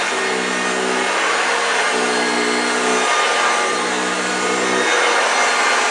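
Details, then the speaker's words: 1965 Hoover Junior 1334A vacuum cleaner running with a steady rough roar and a low gravelly growl under the airflow; the motor sounds a bit dry. "did you hear the growling wow yes fantastic machine she really performed very well she picked up everything off the floor i'm quite pleased with this one really really pleased with this one sounds a bit dry as you could hear"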